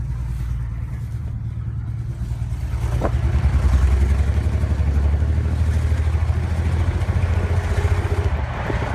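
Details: BMW 335i during a morning cold-start warm-up: a rough, uneven throbbing idle with an irregular pulse, likely a misfire. Plugs were changed 2.5 months ago, so the owner suspects a coil pack or injector. It ran normally after a restart.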